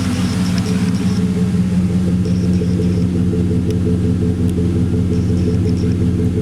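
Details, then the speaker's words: 2001 Chevy Silverado 5.3 Vortec V8, warm, idling after a Flowmaster Delta Force cold air intake install: steady, even idle with a crisper, slightly more drummy exhaust beat and no knocks, misses or suction leaks. Healthy. "bit change in exhaust note i can hear to my ears it's a little bit more a little bit more drummy now"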